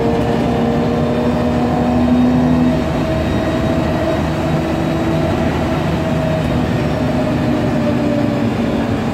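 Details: MAN Lion's Classic CNG city bus (code 07-527), MAN E2876 LUH03 EEV turbo engine, Voith DIWA 864.3 4-speed automatic, pulling hard: heavy drivetrain drone with a faint whine over it, from a noisy Voith gearbox and slight differential whine.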